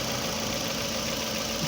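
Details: 2009 Toyota Camry at idle: lumpy, uneven, hunting idle with a hiss over it; codes P0300, P0302, P0303, misfires on cylinders 2 and 3; fuel pressure about 46 psi; fuel gauge also not working.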